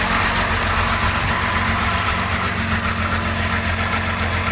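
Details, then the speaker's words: 1975 Jaguar XJ6 daily driver, aftermarket stainless exhaust, idling, heard underneath at the rear during an exhaust leak check: deep, throaty, loud, steady idle with no ticking or puffing. No exhaust leak; the system is simply louder than stock. "And yeah, I'm not hearing any leaks back here, so everything seems to be fine. This is quite a loud exhaust system."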